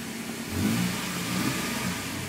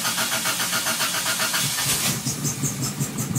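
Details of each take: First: Toyota after cleaning the idle air control valve in the throttle body: revs pick up then settle into a steady, even run with no misses or stumbles; normal running. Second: Toyota with idle air control valve cleaned in the throttle body cranks briefly, catches after about two seconds, then idles lumpy and uneven with smoke before smoothing out.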